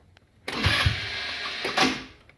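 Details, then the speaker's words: Hammerhead Twister 150cc GY6 go-kart, sat over winter, new battery, spark plug and starter, fresh oil, carb rebuilt two years ago; key turn fires zero to two times then a short buzzy grind with no cranking rhythm; slipping starter clutch. "but it's not turning over repeatedly it's got a new spark plug it's got a new starter a new battery I'm kind of at a loss as to what's going on"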